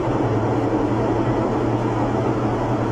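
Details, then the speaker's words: Washing machine during spin, loud steady low roar with droning hum; it also doesn't wash and pauses. Diagnosis: worn drum bearings, seal/retainer needing replacement; rusted parts show water leaking, which wet a part. "Si tu lavadora hace este ruido al exprimir, sigan viendo. Y aparte, no lava, se pausa."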